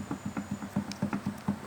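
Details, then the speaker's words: Peugeot 206/207 SW rear axle: dull clunks about five or six times a second as the rear trailing arm is rocked by hand; play from worn trailing arm bushings, four bushings to be replaced. "bom então esse aqui ele tá com uma folga e E aí bom então aquele faz barulho"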